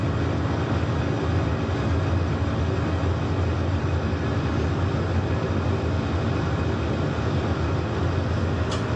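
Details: Steam boiler on a service call, locking out on low water cut-off, test-fired while checking piping for leaks, main air vent found leaking; even steady burner roar, no surging, rumbling or cutting out; normal burner firing.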